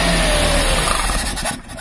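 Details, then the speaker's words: 1999 Maruti Suzuki 800 carburettor engine, left unstarted 2–3 months: starts, races uncontrolled then suddenly stalls, won't hold idle; poor pumping and return flow, missing, hard starting and low mileage reported. "Car start ആവുന്നു, പക്ഷേ ... അത് അനിയന്ത്രിതമായ ഓട്ടത്തിലേക്ക് പോകുകയും പിന്നീട് പെട്ടെന്ന് ഓഫാകുകയും ചെയ്യുന്നു. ഇത് നിഷ്ക്രിയ വേഗത നിലനിർത്തുന്നില്ല; അതാണ് കാറിന്റെ അവസ്ഥ."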